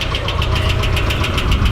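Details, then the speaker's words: Nissan 240SX S13 KA24E, first start in six months, cold and warming up with fans off: quick light ticking around seven per second at idle; owner unsure whether it is lifter tick or rod; engine ticking at idle. "So engine's leveling off. Still sounds like lifter tick. I'm not sure. Might be rod."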